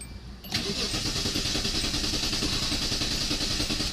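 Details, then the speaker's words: 2001 Hyundai Santa Fe towed in with a no-start: strong, even starter cranking at about three to four beats a second that never fires. The scan tool shows no rpm while cranking, pointing to a failed crankshaft position sensor. "now I'm turning great turning good and strong but what do you notice this not right in this picture okay if the motors turning this should be moving okay because what this does is it measures the revolutions or RPMs of the motor"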